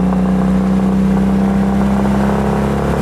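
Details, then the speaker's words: Citroën 2CV after greasing, oil changes and resetting incorrectly set valve clearances, still not sounding right: the engine runs with a steady low droning resonance from an unknown source. "residents come from somewhere and I don't know what that is it's really been one"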